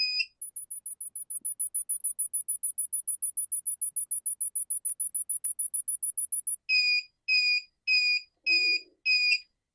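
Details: Wagan Elite 400W pure sine inverter on a bench power supply with no load, input voltage lowered toward the roughly 10 V cutoff: rapid high-pitched chirps, then five slower, longer beeps. This is the low-voltage alarm and cutoff warning; it restarts around 12.6–12.7 V.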